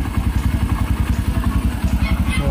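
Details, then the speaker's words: Kawasaki Barako 1 (175) single-cylinder idling after a new idle gear and a clutch housing rebushing that cured the rattle from the loose parts. A steady even thump with no clutch-side clatter, now smooth and quiet. "So nawala na yung ingay dito mga kadit. Tahimik na siya. Mahimik na siya mga kadit."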